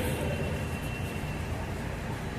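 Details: Nissan Terrano petrol engine idles with a rough, uneven low rumble from a misfire, with low pickup and low mileage; spark plugs checked, two failed fuel injectors found and replaced.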